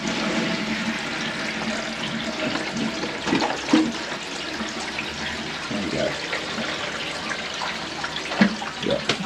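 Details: Barn toilet re-flushed after refitting a clip through the access panel: rushing water from the concealed cistern into the pan, then a refill trickle, with no drips or hiss behind the panel. Normal flush.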